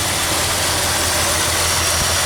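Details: 1976 Ford F-250 just started after Holley 6947 carburetor rebuild and fuel pump replacement, warming up: loud, hissy idle with an uneven low pulse underneath, not settling smoothly; owner suspects a vacuum leak somewhere, not yet found.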